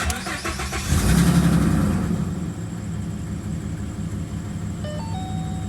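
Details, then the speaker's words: 2013 Ford Mustang 3.7 V6 after tune-up with new spark plugs and intake removal; cranks briefly, catches and settles into a smooth, even idle with no misses or knocks, like a sewing machine. Normal start and idle. "like a sewing machine"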